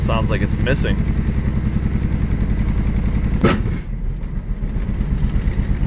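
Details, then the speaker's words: 1965 Ford Mustang coupe, six-cylinder, three-speed manual, not run since last year: lumpy, loping idle at about two beats a second with dropped pulses, missing aggressively and shaking; points, plug and timing adjustment then improved it, misfire at idle. "it's pretty aggressive missing almost a so we just set the points clean the plugs timing"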